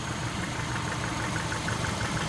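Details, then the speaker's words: 2001 Subaru Outback, rebuilt engine with new head gaskets and machined heads, first start after installation, no fuel leaks: steady, even idle with soft low thrum, no knocks or misses; sounds healthy. "It's fired up. Hip hip! Hooray! Look at that! Would you look at that? Sounds good."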